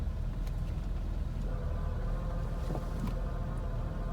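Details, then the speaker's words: 1991 BMW M-Technic II (E30) convertible, about 134,590 miles, idling in neutral with top closed: faint hum and rattle appears when clutch is released, pointing at the gearbox; unchanged over five years, shifting unaffected. "now I'm gonna take I'm gonna release the clutch and listen for that noise"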